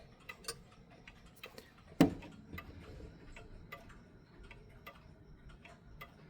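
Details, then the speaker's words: Vintage 1972 mechanical clock before beat adjustment: ticks in lopsided pairs, short gap then long gap, about three a second; offbeat tick tock, clock out of beat. "But as you hear, it's not an even tick tock. It's a offbeat tick tock."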